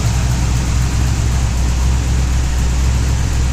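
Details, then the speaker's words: LS-swapped third-gen car with a new alternator fitted, on a Holley startup tune and not yet dyno tuned: a steady, deep V8 idle on all 8 cylinders with no belt squeal. Alternator squeak gone; normal idle. "Here's what she sounds like now. So, yeah. Sounds a lot better with no squeaking. And it sounds a hell of a lot better on all 8 cylinders."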